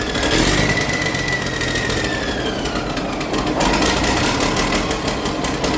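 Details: Diesel engine started for the first time in at least six years, still cold: dense even clatter at steady speed with a faint falling whistle, no knocks or misfires; sounds healthy, expected better once warm.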